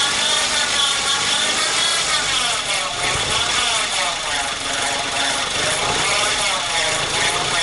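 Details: An alternator noise that was once occasional is now almost constant and grows much louder with revs: a constant gritty scraping hiss with a faint high whine over the engine and no clear rhythm; the owner suspects a failing bearing.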